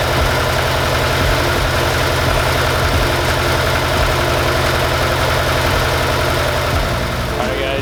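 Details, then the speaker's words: Mazda Miata at first start after installing adjustable polyurethane motor mounts: steady, even petrol idle with a regular low pulse, no knocks, noticeably less shake; normal idle, though it later stalled with a suspected air leak. "I do feel the difference the car doesn't shake a lot"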